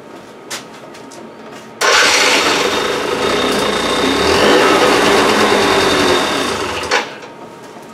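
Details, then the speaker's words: Two-stroke scooter (Transformers) revving hard for about five seconds: loose, uneven rattle under the buzz from the rear clutch bell; carburettor and air filter cleaning planned. "ist das hinten mit der Glocke dann klappert die ein bisschen"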